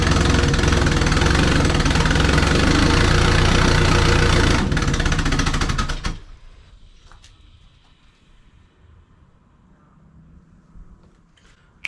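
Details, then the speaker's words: Twin-turbo compound Subaru Forester with exhaust leaks: loud rough running engine stumbles, sputters and dies when the throttle is opened. "that's not good well yeah that's uh that's not good at all so i put the throttle open and it died"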